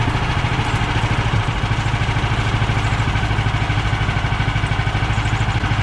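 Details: Bandsaw mill cutting 3/4 x 6 inch boards after the Pine-Sol/water lubricant was toned down; too much had made the blade slip off the belt. Steady low engine drone, even pulse about three per second, blade cutting smoothly without squeal or chatter; healthy.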